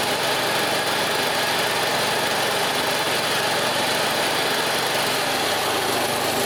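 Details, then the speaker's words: Cub Cadet CC760es walk-behind mower after a Huayi carburetor rebuild, choke up with belts not spinning: small single-cylinder buzzes at a smooth, even idle with no misses, knocks or surging; normal idle. "all right choke up oh that sounds nice let's check idle"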